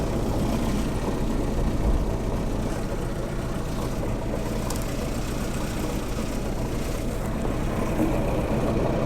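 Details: Land Rover Series 3 109, rough running and misfiring, owner not a mechanic; low uneven idle with irregular stumble, like one cylinder missing; plug-lead disconnect test suggests owner suspects a spark plug problem, possibly plug one.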